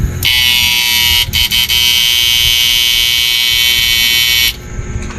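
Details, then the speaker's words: Old-model 99900 W inverter under repair after a faulty resistor was found, with only its power (lakasan) control connected: a high buzzing output tone cuts out and returns briefly before steadying, unstable output blamed on a faulty power control. "naman nagpapabago-bago tunog. Sira yung lakasan."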